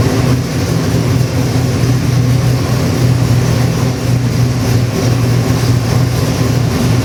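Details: Custom Ford 347 stroker, 302-based, with Holley Sniper EFI, running on the dyno before going into an '88 Toyota pickup: a deep, even V8 rumble with a steady firing beat and no ticks, knocks or misfires. Normal running.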